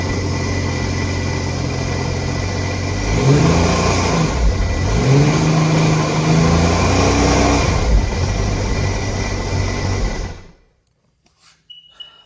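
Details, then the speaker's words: Sea-Doo RXT being tested for no oil pressure: engine revs up and down with the low oil pressure warning tone over it, then cuts out; idles fine, pressure lost when revved, concluded oil pressure regulator stuck open, to be replaced. "got to be it. It's that pressure regulator stuck open."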